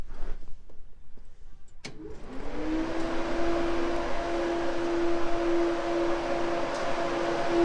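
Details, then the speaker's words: 1965 Chevy Nova wagon delivery that overheated, electric cooling fans rewired through a relay fed directly from the battery, key turned on: a click, then fans spin up within a second into a steady even whir; both fans run properly after the fix. "yeah that thing's moving some air oh yeah [Music] I think we're in business now"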